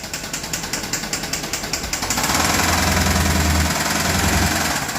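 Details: Heavy, hammering knock about three and a half a second, growing louder and faster as the engine is revved hard; suspected rod knock, not confirmed.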